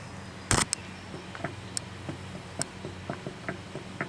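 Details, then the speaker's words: 1950 Gravely L engine swapped into a 1956 Gravely LI, unrun for 15–20 years, turned over by hand: faint uneven clicks from a worn shaft; connecting rod also suspected worn, flywheel moves without the piston. "when I roll this over uh you can definitely hear that that shaft uh does click it's worn out you can hear it when you roll it"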